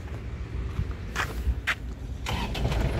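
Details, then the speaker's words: 2007 Isuzu Panther LS Turbo diesel, about 103,000 km, engine dry with no oil seepage. A short crank and a couple of bursts, then it starts on the first try and settles into an even clatter with no odd knocks; healthy engine. "Ya sekali starter langsung jereng ya tandanya mobil sehat"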